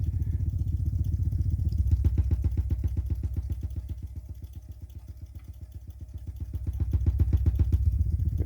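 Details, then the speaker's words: Sony TC-206SD tape deck on play, line out via RCA to amp aux: steady regular low thumping, about four pulses a second, motorboating-type, left channel, rising with line-out volume; preamplifier suspected, not record switch, unconfirmed. "When I increase the volume on the line out, it actually oscillates higher. So it does seem like an amplifier issue, pre-amplifier. It doesn't seem like the recording switch that's doing this."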